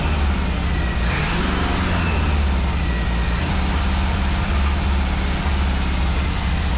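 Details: 1965 Ford 289 4-barrel V8 for a 1955 Ford pickup, now with exhaust fitted, warming toward about 180°F: loud, deep, uneven rumble that never settles; it won't idle and the carburetor is suspected, with a rebuild kit on order.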